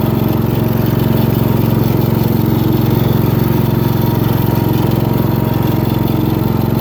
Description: It has a briggs and stratton 15.5 HP engine that runs smooth and has a new oil change.